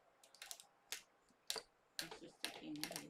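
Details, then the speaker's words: 130-year-old circular sock machine: sharp, irregular metal pops as the bonnet is pushed toward the cylinder with downward pressure and needles catch; some needles missed, others brought up. "and you can hear it popping so it missed that one and it got those ones but it brought up these other needles"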